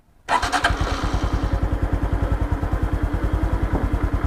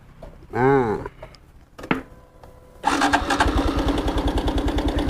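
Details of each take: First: 2021 Honda Wave, 12,000 km, with a loud noise blamed on a slack timing chain, after fitting the chain tensioner and torquing the cam cover. Catches at once and settles into an even thumping idle at about 200 beats a minute with no ticking or rattle. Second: 2021 Honda Wave at about 12,000 km, cold start after replacing cam chain tensioner: fast light metallic rattle over idle persists; slack cam chain still slapping, owner suggests tilting bike to oil it or riding a while.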